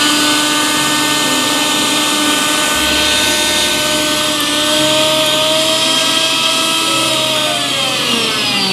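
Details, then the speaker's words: Mixer grinder after repair, bush (bushing) replaced because the worn bush made it run very loud: steady high, even motor whine with no rattle or grinding, quiet like new; normal running. "सभी अब बिल्कुल और गा इसमें आवाज नहीं हैसे नया की तरह"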